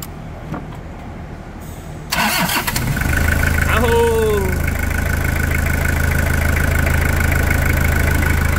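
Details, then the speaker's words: Toyota diesel pickup with a poorly fitted lift kit, after tank cleaning following Bardahl use: cranks briefly, catches on the first try and settles into a steady, even idle with a smooth low drone and no knocking; normal diesel idle. "não existe som de motor melhor que esse não existe motor a diesel esse aqui é o melhor som é é melhor Sinfonia é impressionante a afinação desse som"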